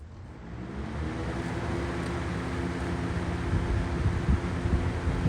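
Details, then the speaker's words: Lakewood 200i thin box fan cranked up on high in a window; steady even hum and airy rush with no rattles, quieter than the noisy Cool Colors fan; normal running. "It's not as noisy as that um cool colors."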